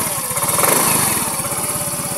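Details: Scooter (Mio 125) that had stopped suddenly on the road and would not start, after fitting a new spark plug: steady, even, quick firing pulses at idle with no misses or knocks; problem solved, normal idle.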